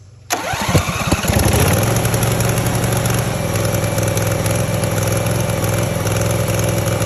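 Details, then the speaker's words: Gravely zero-turn mower engine, first start after cleaning the flywheel magnet and coil and freeing a stuck choke linkage. It fires at once, then idles lumpy and wavering; runs rough and sounds like the carburetor needs adjusting. "sounds like we got a little bit of tweaking to do to the carburetor"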